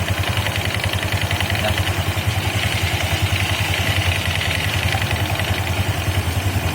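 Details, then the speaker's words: Honda Vario 160 CBS CVT at idle: rough, low pulsing rumble about two to three beats a second from a damaged pulley; splashing water on it makes the rough noise disappear. "Nah, itu tandanya penbilnya udah rusak teman-teman. Oke ya, kita ciprat pakai air langsung hilang ya suara kasarnya ya."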